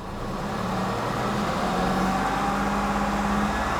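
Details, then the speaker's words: 2016 Mini Cooper 3-cylinder with drivetrain malfunction light: harsh droning engine note sticks around 2,500 rpm instead of settling, with cylinder 1 and 3 misfires following; possible mechanical failure. "So, drivetrain malfunction sets. You can hear the horrible noise that it makes."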